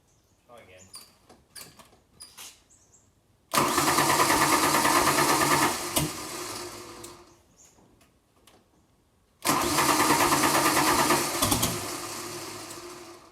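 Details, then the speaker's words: 1992 Ford Falcon EB, long off the road: the starter cranks evenly at about three beats a second, with a sharp pop back through the intake mid-crank. Owner guesses a stuck valve, unconfirmed. Backfire through intake while cranking. "it's trying to fart backwards now that's not good is it"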